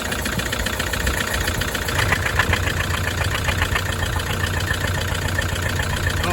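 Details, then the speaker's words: Toyota D4D diesel, about 374,000 km, cracked piston, won't rev: at idle with the oil filler cap off, heavy rapid chuffing like a steam truck, severe crankcase blow-by. "my goodness, like a steam truck."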